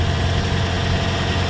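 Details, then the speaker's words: 2008-2013 Toyota Corolla after fixing an underbody exhaust rattle (previously at slow speed, gone by about 40 mph): smooth, steady low idle with no rattle or shake; normal. "it's not shaking"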